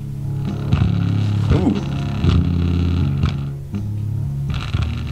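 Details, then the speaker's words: Coral BX-1500 6-way speaker woofer, whose protective screen had fallen off, tested after trying to pick debris out of the cone: muddy, buzzy bass breaking up on low notes; it sounds like a blown woofer. "that sounds like a blown up woofer good sound that's a good start"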